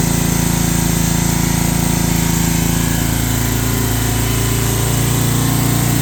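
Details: Old riding mower/ATV of unknown year with many miles, barely runs, throttle set up, in neutral. Small single runs fast and steady with rapid buzzing beat, won't run low rpm; owner suspects governor needs adjustment.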